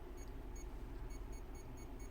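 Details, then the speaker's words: Bench-tested brushless RC boat motor setup where the ESC gives faint, high, short beeps three to four times a second because the throttle trim is set off zero; dialing trim to neutral stops it. "so if you're having issues your es your motor is beeping use your trim to dial it in to zero"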